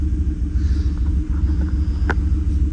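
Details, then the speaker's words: 2018 Chevrolet Silverado V8 at idle, scanner connected, running on a jump starter due to weak battery; low lumpy uneven idle, still misfiring after injectors were swapped (injector 6 moved to position 1) to see if the misfire follows. "Fallas, fallas, fallas, porque parece ser que sigue fallando."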